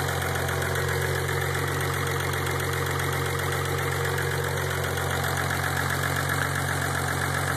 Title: 5 engine scan for engine noise after 5 10 minutes